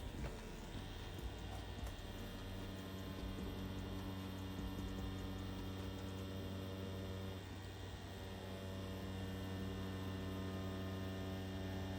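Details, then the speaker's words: More Money tattoo machine with InkClaw Phoenix 1.5 grip and barred needle, run at 8 volts: steady even buzz with constant low hum, no stutter, rattle or uneven pulses; ultra smooth running. "Overall though, you can hear this feels super smooth. It doesn't even, you know, feel like it's on really."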